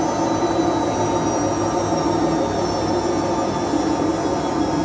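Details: Whirlpool/Vestel washing machine with bad drum bearings after exactly one year, during the spin: a loud, steady roar with a faint whine that keeps getting louder, but the machine still runs. The cause is worn drum bearings.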